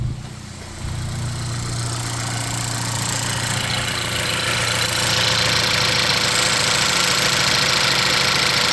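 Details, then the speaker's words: VW Jetta MK6 2.0T TSI after high-pressure fuel pump replacement, which fixed hard starting: cranks, catches, and settles into a smooth, even idle with light injector ticking; normal idle. "If it starts up, we're good. That's normal because there was, no fuel in there. But I think that's good."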